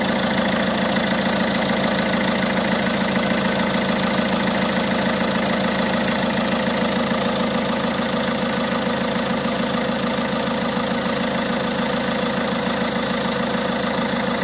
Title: Bruit moteur DV6ATED4 - 1.6 HDi 90cv Peugeot 207 d'août 2007 - 212469 kms